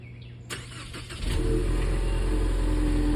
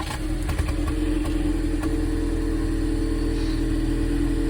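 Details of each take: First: 2019 Ford Mustang EcoBoost, about 51,300 miles, after refitting the spark plug and coil for a startup misfire, sat a few hours so colder: short crank, catches cleanly, steady even idle with no hesitation; fixed. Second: 2019 Ford EcoBoost Mustang, about 51,300 miles, cold start before repair: uneven chugging beat about three times a second with steady mid tone, water from exhaust after a rinse; sporadic cold-start misfire, cause unconfirmed.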